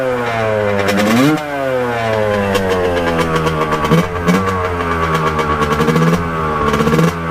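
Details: 1989 Kawasaki KX125 two-stroke, pilot jet cleaned earlier, first ride after warm-up: revs climb sluggishly and stumble, uneven choppy thudding pops at higher rpm; boggy, owner thinks really lean; cause unconfirmed.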